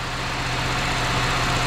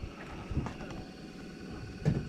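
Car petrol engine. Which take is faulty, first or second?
second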